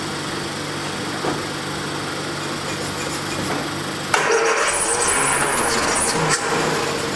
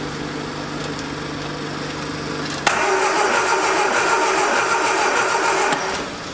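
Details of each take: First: 1979 Triumph Spitfire, sat about 20 years, after tapping on a carburetor, turns over, catches about four seconds in and settles to a steady, lightly uneven, quiet idle; running normally. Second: 1979 Triumph Spitfire with electronic ignition that sat about 20 years: fan hum, then the starter turns the engine steadily but it never catches; cranks, no start.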